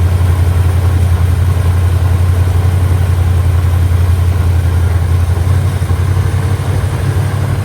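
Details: Mustang 5.0 V8 with an owner-built carburetor, air cleaner off and a vacuum gauge below the base plate: a deep, even, low rumble holding steady at idle, with no obvious misses or knocks.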